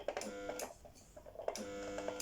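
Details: Brother electric sewing machine, needle not moving up and down: motor whirs in short bursts with no rhythmic needle clatter when switched on; mechanism jammed.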